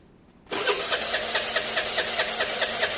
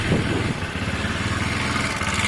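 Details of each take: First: Honda SH125 scooter: steady starter cranking about 2.5 beats per second for four seconds, never catching; owner suspects stator wiring, choke or spark plug, not confirmed. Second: Honda SH125 scooter idling during a pre-MOT check: a busy single-cylinder idle with a light, loose rattle from the variator rollers, harmless; a new belt and rollers are to be fitted later.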